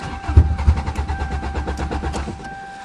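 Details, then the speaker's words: 2009 Toyota in cold start cranks steadily about three beats a second with a brief stumble but never catches; fuel pump not heard, owner suspects a stuck fuel pump, same as last year. "now you're teasing it's doing the same thing as last [Music] year I can't hear the fuel pump probably is a stuck fuel [Music] pump"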